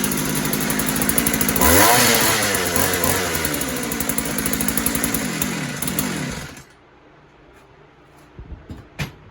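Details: Posthole digger two-stroke engine after carburetor install (carb has no adjustments): steady, even high rev for several seconds, then shut off; runs clean and pretty decent, normal running.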